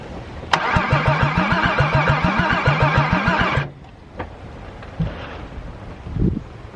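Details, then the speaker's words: VW VR6 after ring and valve work on one cylinder (compression now over 120): starter cranks at a steady quick rhythm, about three and a half beats a second, for three seconds but the engine never catches; owner suspects no spark from a failing distributor. "so now i just got to figure out why it won't crank and i think now it is going to be because of it is not getting sparked"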